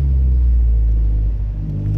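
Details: Test drive after replacing knocking parts on both sides of the car: steady low engine and road rumble with no knocks or clunks from the suspension while turning left and right.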